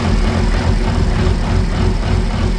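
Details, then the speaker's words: BMW E24 with B58 engine swap on SCS Delta ECU, first start before tuning: heavy, lumpy idle with low uneven throb that never settles; engine struggles to hold steady idle, separate transmission noise present; rough idle, base parameters to be checked. "But we still got to figure out why it's running like that. We're going to check some base parameters right now."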